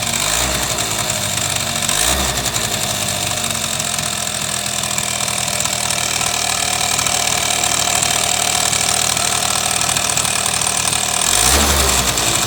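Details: Suzuki Sepia ZZ scooter engine runs steadily with an irregular tapping, roughly four per second, over the buzz; abnormal engine noise.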